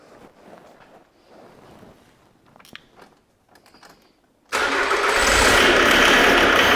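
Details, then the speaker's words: 2008 Jaguar X-Type 2.0 diesel at startup, running harsh and smoking. A long quiet stretch, then it fires into a loud, harsh, clattery, rattling idle. Excessive fuel rail pressure, proven by a bypass test. "basically i'll start it up and you'll hear how it's running it's running like a pig it's noisy it's rattling and it's smoking"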